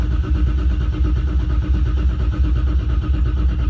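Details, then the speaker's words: Car's first start of the season, cranked with the fuel pump off to build about 20 psi oil pressure before fuelling: steady, even starter churn at about 86 beats per minute with no catch or odd clatter; normal cranking. "then I just crank it a few times until I get about 20 pounds of oil pressure before I actually start my fuel pump."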